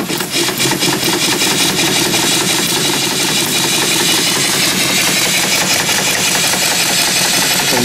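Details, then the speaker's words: Small steam engine running from a boiler at about 125 psi, turning about 350 RPM and still tight, expected to run faster once broken in: steady, slow, even chuffing with loud exhaust steam. Opening the steam stops the pop-off valve venting; normal running. "so I'm going to run the engine a little bit it does run 350 RPM that's the problem um when it breaks in they'll probably run faster"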